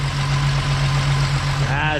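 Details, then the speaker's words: 12-valve VR6 Jetta wagon after timing chain repair, previously clacking; steady even low idle, smooth hum, no chain noise or ticking; normal idle. "That's so much better. Nice and smooth. No chain noise."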